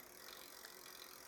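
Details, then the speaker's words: Lectric XP 2.0 e-bike with upgraded Shimano Acera rear derailleur, 7-speed: barrel adjuster backed out, overtight shift cable makes light quick clicking and rattling at the rear cogs and shifts up into a bigger gear; excess cable tension. "if I back this way out and put too much tension on it, you can hear it's all kind of clicky and it actually will shift up into one of those bigger gears."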